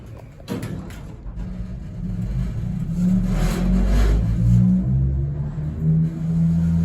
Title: Vintage elevator that makes a weird noise